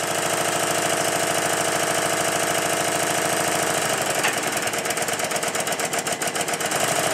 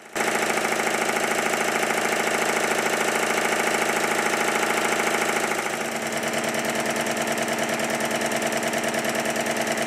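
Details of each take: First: Stuart triple expansion model engine after connecting the link pipe from high-pressure cylinder exhaust to intermediate cylinder inlet: steady, regular exhaust beat easing into a lighter, quicker rhythm, running smoothly and much better than on the high-pressure cylinder alone. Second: Stuart triple expansion model steam engine running on the high pressure cylinder only, valve gear moved to reverse: quick, lumpy chuff near two beats a second with uneven pulses; the eccentric setting is a compromise for both directions and won't run right in reverse.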